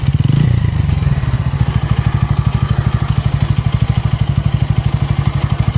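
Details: Bajaj Pulsar N160 that was smooth until first service at 500 km: rough, uneven thumping idle with a loose clatter on each firing pulse; abnormal engine noise, cause unknown.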